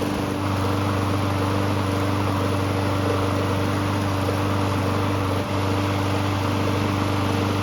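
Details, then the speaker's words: Free Murray walk-behind mower, small single-cylinder engine, won't start on its primer button: putters steadily with an even low drone only after fuel is squirted in by bottle; carburettor works to some extent but isn't priming, so primer faulty. "So it looks like the carb does work to some extent, but it doesn't seem to be priming"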